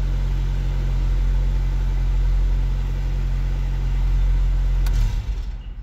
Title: Volkswagen Golf MK2 1.6 Petrol | First start after replacing a fuel pump